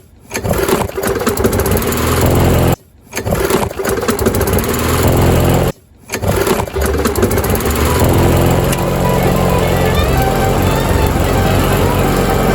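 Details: Yard Machines MTD mower, Briggs & Stratton 158cc 5HP 500 Series, after carburetor diaphragm and gasket kit, new air filter and fresh gasoline: catches after a couple of pulls, then steady, even run without misses, slight smoke from excess oil; healthy.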